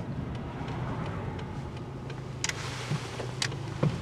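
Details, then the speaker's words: Worn old car nicknamed Old Clanky, turning while driving: low road rumble with dull thumps about half a second apart felt at the steering wheel, owner doesn't know the cause; steering wheel bumping while turning. "we're going to turn here the steering wheel goes bump bump bump I don't know what that"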